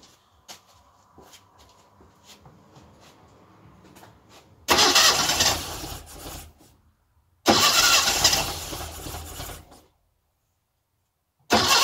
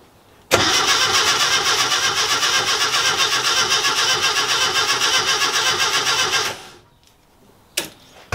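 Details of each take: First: Classic Mini first engine start after tappet adjustment, timing corrected and distributor tweaked, good compression, little fuel in carb: quiet ticking, then cranking catches and fires; normal first start. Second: Classic Mini at its first start-up after rewiring (coil and distributor connected, fuel added via the dashpot) cranks evenly, about four beats a second for six seconds, but never catches; spark is strong.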